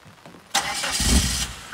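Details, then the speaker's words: Newly bought turbo PT Cruiser on a trailer, parked on a hill: short catch and brief burst of engine noise that fades within a second; engine stalls, out of fuel, tank empty. "they duped us she's got zero gas"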